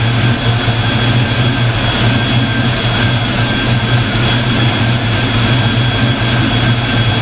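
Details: Black Stang (Mustang) first fire with 24 lb injectors and 73 mm mass air meter; after shimming five or six rockers, deep, loud, even idle with no valvetrain ticking: normal idle.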